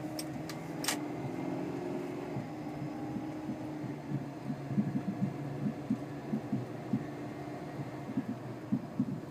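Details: 2001 Oldsmobile Alero driving with irregular dull thuds and sharper knocks from the front end over road rumble; began after new tires and struts; wheel hubs, stabilizer links replaced and strut mount nut tightened, cause unknown.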